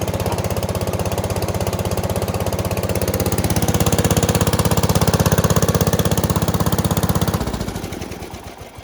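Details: Bush Hog HD12 tractor single-cylinder revived after freeing stuck-open exhaust valve with Kroil, carb varnish cleaned, new fuel filter, frozen throttle cable loosened: brisk, even thumping, swelling slightly before shutdown; runs steadily, no misfire or knock.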